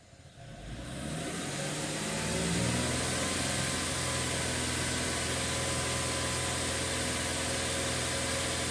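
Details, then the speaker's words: 2013 Mercedes ML350 naturally aspirated engine starting after extended crank (cam timing codes), then settling to a steady even run with no start-up rattle or fluctuation. "all right so now we're getting a little bit more of to the uh the normal situations that I'm used to with no rattle at startup"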